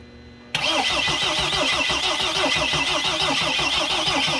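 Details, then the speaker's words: Mercedes Sprinter diesel van, no-start, after new fuel tank and fuel pump: steady fast cranking, about three turns a second, never firing; fuel pump electrical connector found unplugged. "I notice that the fuel line the fuel electrical line from the fuel pump that's actually disconnected you think you should be on"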